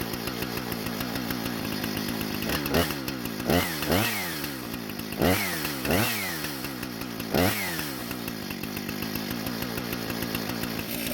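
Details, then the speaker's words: Husqvarna professional-grade chainsaw after fuel-leak repair and a modified air filter refit: crisp two-stroke idle with quick clean throttle blips rising and falling freely, no bog; runs great, no carb adjustment needed. "so it seems to be running great with no issues at all and I'm not going to make any adjustments to the car but because it started just fine rev the way it's supposed to and also did not bog down when cutting"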